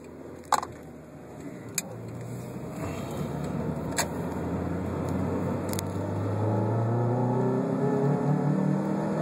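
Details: 1997 Honda Prelude, second-gear wide-open-throttle pull, fully warm after about 10 minutes of driving, stumbling and misfiring between 4500 rpm and redline; normal when barely warm; new plugs, wires, coil, distributor, TPS, fuel filter, EGR cleaned.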